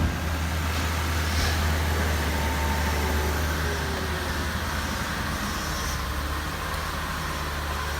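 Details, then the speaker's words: 2006 Lexus RX330 (3.3L) after high-pressure power steering hose replacement with the upper intake removed; first start after topping up the fluid gives a quiet, even idle with no ticking, knocking or stumbling, checking for a check engine light: running normally. "so let's fire her up and let's make sure I don't have a check engine light or anything before I go any further and she appears to be running"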